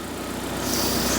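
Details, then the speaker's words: Proton Wira back running after 12 years off the road, rack boot just replaced, before oil service: steady petrol idle slightly uneven and lumpy; stale fuel looking like cold tea makes it run rough. "She's a little bit lumpy cuz the fuel we Yeah, the fuel isn't great. I know. The fuel looks like cold tea."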